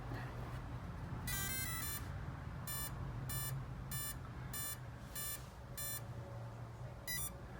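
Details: Spektrum Firma 160 ESC in a 6S RC vehicle, powered back up after a programming change: a quick cluster of chirps, then six evenly spaced high beeps about two-thirds of a second apart. Normal power-up sequence.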